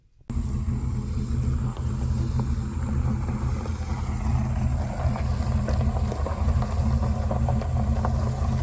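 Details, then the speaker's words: 1979 Pontiac Trans Am 10th Anniversary, 10-bolt 8.5-inch posi rear end, after refilling with 80W90 gear oil plus limited-slip additive: a smooth low rumble while turning with no clicking or popping; the rear end is now quiet. "i'll put a link below in the description to show you exactly what i put in it and the clicking and the popping is stopping all that stuff in that 79 trans am"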